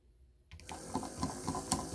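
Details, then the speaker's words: Proto2K GP7 locomotive drive unit tested on plain DC power before decoder install: motor whirr with irregular jumping clicks about every quarter second; broken axle gears. "See how it's jumping around? That is the sign of a broken axle."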